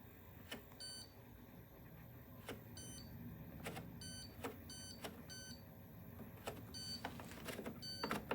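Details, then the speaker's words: Candy GVSC9DCGB tumble dryer control board (PCB) on test: repeated short electronic beep bursts and sharp clicks at irregular intervals over a quiet hum; shows E21 error code every power-on, cause unknown. "We'll just test it with hands-on stuff. The PCB makes a noise."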